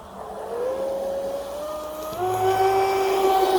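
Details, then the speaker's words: Fast electric RC mono hull boat during strut, stinger and trim tab tuning: a clean electric whine that steps up smoothly with throttle, with no rattles or surging; it handles nice and stable. "see see how she's handling nice and stable"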